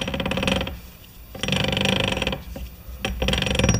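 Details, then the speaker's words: MTD lawn tractor differential, shafts turned by hand with the housing still closed: bursts of rough ratcheting growl with each turn, stopping between turns; worn, rounded differential gear teeth. "I'm going to rotate these two shafts to the point where the gears are actually making that growling sound and then I'm going to leave them there take the top off the housing and see if I can find exactly where that grinding is coming from"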